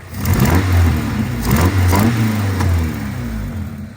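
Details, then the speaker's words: 2001 Honda Civic EJ9 (EK), D-series engine, just restarted after five years off the road and relearning idle: blipped revs with loud raspy chuffing and pops from an exhaust manifold leak due to missing manifold bolts; also backfiring, owner suspects running rich. "there are a few bolts missing off the manifold that's why it sounds horrendous when you rev it yeah you can just hear it blowing like hell"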